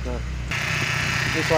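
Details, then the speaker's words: BMW E46 with N42 engine shaking badly, before repair: low uneven drone with lumpy beat, sounding very rough; rough running, cause not pinned down. "suaranya kasar kali suaranya kasar kali"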